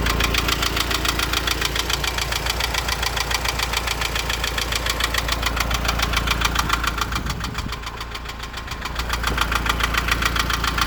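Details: Renault Laguna 2.0 dCi diesel at idle with a sharp, regular knock about three or four times a second; engine knocking, cause not confirmed.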